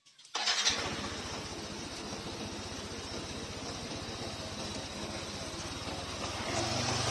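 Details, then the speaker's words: Yamaha Nmax fuel-injected scooter around 7,000 km, after cleaning the fuel pump filter: quick starter catch, then a steady, even single-cylinder putter at about three beats a second with no sputter. Normal start and idle restored. "hai hai oke teman-teman semuanya Alhamdulillah ini setelah kita melakukan pembersihan di bagian film dan alhamdulillah hasilnya sudah normal kembali"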